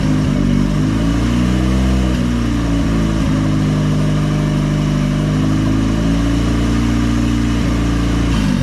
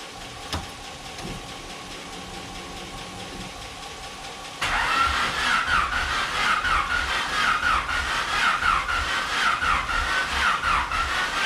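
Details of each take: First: Budget $200 Honda engine with big turbo kit, first start after owner's rebuild, no coolant yet: smooth, even engine note holding steady with gentle rises in revs, no misses or knocks; running cleanly. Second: Honda engine with new turbo kit, first start attempt after rebuild on a jumped battery: starter spins steadily about four beats a second for seven seconds but never catches; later misfires, owner suspects injectors, distributor or ignition wires.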